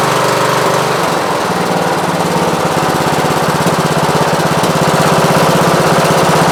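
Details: Repaired riding lawn mower after sheared key and near-total parts replacement (belts, charging system, magneto, battery, carburetor), exhaust still leaking: single-cylinder engine thumping at an even, steady beat with no knocking or misses, running smoothly.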